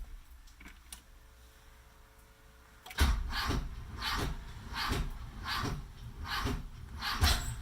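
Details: Hard starting: the starter cranks in rhythmic pulses about twice a second for five seconds without firing. A starter relay is suspected but not confirmed.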